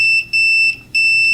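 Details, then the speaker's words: 1986 Roland DEP-5 effects processor, multimeter in continuity mode on the pin 10/11 solder joints: a high continuous tone, briefly broken twice, then holding. Continuity is present, but pin 10 drops out under pressure, a bad solder joint to be reflowed. "I'm set to continuity mode just to uh see if there is indeed continuity to this number 10 pin uh which there is"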